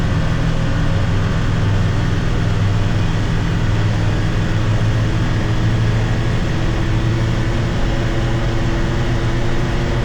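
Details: 2022 Can-Am Defender HD9 DPS cab cruising after foam weather stripping was fitted to the loose factory heater core, which rattled at about 50–70 km/h; steady low drone with no buzz or rattle, only a slight faint ting; cab rattle gone.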